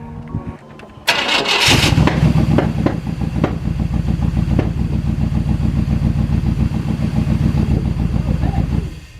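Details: OBS K1500 truck, first start in 8 years after replacing the entire fuel system including spider injectors: cranks, catches, idles on its own with an uneven, lumpy pulse about three a second; rough idle.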